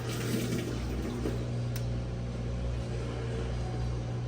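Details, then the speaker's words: GE GUD27ESSM1WW stacked washer on Heavy cycle: water fills with low motor hum, then stops after short fill and cycle quits, while Speed Wash works; suspected encoder switches or user interface; cycle starts then stops. "and it stopped it's supposed to do two splashes of water then keep that's all you get now watch"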